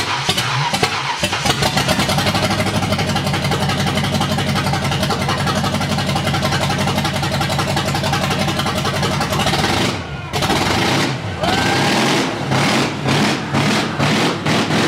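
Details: Ford Mustang drift car, 5.0-liter V8, first start after new build, fire cause fixed and worn water pump replaced: catches quickly, settles into an even steady burble, takes a few clean blips; normal smooth idle.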